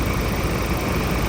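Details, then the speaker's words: Ford Raptor diesel idling after replacement of all four injectors and injector learning, following a failed cylinder 3 injector: a steady, even clatter with no sharp ticking or knock. Normal, quiet idle after the repair. "Learningหัวฉีดเงียบมั้ยเงียบมากเลยนะเสียงเสียงเพะกว่าในคลิปที่แล้วนะ"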